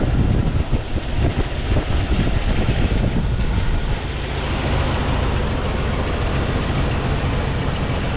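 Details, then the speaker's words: 1999 Jeep Cherokee XJ 4.0, sold as needing an engine, first start: a rough, uneven idle with a loping stumble in the low rumble. Misfire at idle, though the engine runs. "it's a runner it's a runner it sounds like it's got a Miss but it's definitely a runner"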